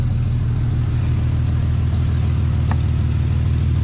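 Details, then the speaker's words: Chevy S10 Blazer carbureted engine idling after new spark plugs and wires, carb cleaned, fuel system cleaner added: steady, even low rumble, no misses, knocks or stumbles; idling cleanly, much better, possibly just plugs and wires. "It might have been just the dang on spark plugs and the wires and all that kind of stuff, because it seems to be running so much better. A lot"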